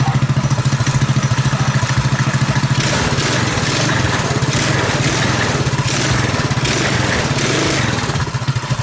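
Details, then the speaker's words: Predator 212cc single-cylinder on modified KT196 go-kart, ignition timing advanced, 8-tooth front sprocket: small single thumps evenly at idle, revs up and drops back cleanly with crisp exhaust, no missing; exhaust sounds good, running right. "Alright. Exhaust sounds good. Ready to rock and roll."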